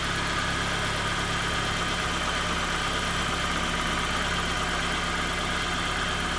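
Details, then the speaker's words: 2004 Nissan Pulsar N16 with QG18DE engine, 120,000 km, after replacing a head gasket burnt through between cylinders 1 and 2 that caused rough idle and misfire; smooth, even idle with constant pitch and no hunting, normal idle. "And this is how smooth it should be."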